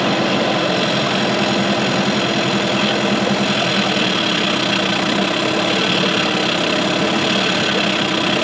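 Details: 2003 Mercury 15 hp two-stroke electric-start outboard in a test tank during first startup after restoration: earlier backfiring gone; busy, buzzy idle holding an even pace with no pops or backfires; owner suspects a vacuum leak; normal idle.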